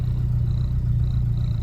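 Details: 1967 Alfa Romeo Giulia 1300 TI, cold start at about 28–32°F after a week unused, on choke in neutral: smooth even low drone with no stumbling or misfires; healthy cold engine settling in.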